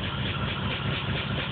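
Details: Engine with P0300 code: low lumpy idle with uneven stumbles that never settle; random misfire, cause unknown.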